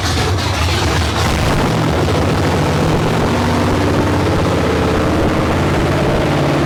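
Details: 1972 Ford Maverick with a freshly rebuilt 317 V8, on a restart; transmission cooler lines leaking. The idle beat wanders up and down instead of holding steady. Erratic idle; owner suspects a vacuum or air leak, unconfirmed.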